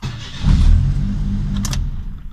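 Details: Suzuki Jimny JA11 with intermittent no-start (starter just clunks, like a dead battery), after adding a harness to the starter circuit for stable voltage; short crank, catches quickly and settles into steady idle, clean start.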